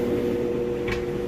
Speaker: Okay, and we've moved into the final spin. It's actually spinning nice and fast right now. You can see, smooth, sounds great. It's spinning super fast.